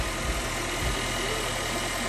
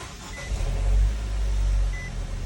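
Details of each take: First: 2013 Nissan Juke 1.6 L turbo after a timing chain rattle repair: even, steady idle with a smooth low hum and no rattle or ticking, quieter than before; normal idle. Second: 2013 Nissan Juke 1.6L turbo, hood up: the engine fires and settles with a rough, clattery rumble at start-up. The customer complains of this timing chain noise. Timing chain rattle on start-up.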